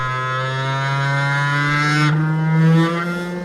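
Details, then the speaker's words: Cheap 500W air-cooled CNC spindle with a 6 mm end mill, mounted in a CNC machine and run at maximum speed: steady, even high hum with slight tonal shift, no harsh vibration, unlike resonances at lower rpm; normal running. "luckily it doesn't sound like the vibrations are too bad at maximum speed so it looks like the cnc helps controlling the vibrations a bit"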